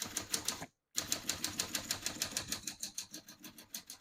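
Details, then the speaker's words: Serviced 1945 Smith-Corona Clipper portable typewriter: crisp, even clacks about three per second with a brief pause. Every key strikes cleanly, none skipping or sticking. "As you can see, all the keys type nice and none of them skip or stick."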